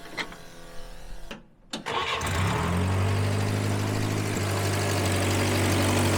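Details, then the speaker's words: Grandpa's long-sitting 1954 Willys military Jeep, first start after revival with coolant, oil and fuel: short starter crank, catches within a couple of seconds and settles into a steady, even idle; normal start. "Got fuel. It don't get much easier than that. It's even gonna idle."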